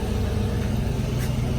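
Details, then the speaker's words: 1995 Mustang GT 5.0 V8 at cold idle on a chilly day after a cold air intake install: deep, steady rumble, even with no misses or knocks; healthy, just a touch louder. "Okay. So it does seem like it might be a little louder on the kind of cold start there. But it's not terribly loud."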